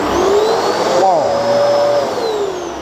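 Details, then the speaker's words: Genesis upright vacuum running at full power: steady even motor roar with mid-pitched whine that barely wavers, not a high-pitched noisy sound; normal healthy suction. "that is power and what I like about this you can hear the power driving it's not like one of those noisy machine which has a very high pitch"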